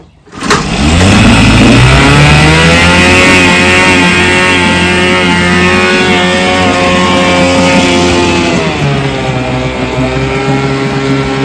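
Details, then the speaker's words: Vintage 3 hp two-stroke outboard fires up and revs with a slightly ragged, uneven beat, one side's spark jumping in and out; intermittent misfire, owner suspects dirty ignition points (factory film) and plans to clean them. "So, I don't know if you could tell, but it's got a little bit of mist to it. It's like one of the spark one side is jumping in and out."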